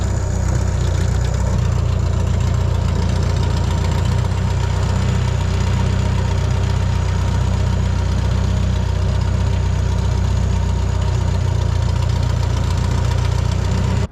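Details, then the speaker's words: Bobcat 883 skid steer with freshly installed remanufactured Deutz diesel engine: steady even diesel idle with solid low rumble, no knocks or misses; healthy fresh motor. "So, I don't know if you could see in that last clip, sounds pretty solid, fresh motor."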